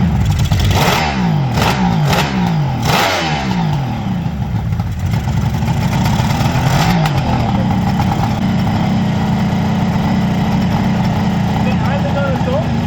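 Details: Freshly restored 1975 Kawasaki H2 750 two-stroke, running without airbox: crisp revs rising and falling smoothly, then even steady idle with no misfire; normal running and revving.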